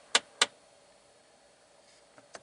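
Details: 2012 Jeep Patriot, about 126,000 miles, engine on, blower on lowest in fresh-air mode: two sharp clicks then fainter ones under the dash as the recirculation door actuator skips; fixed by replacing the actuator.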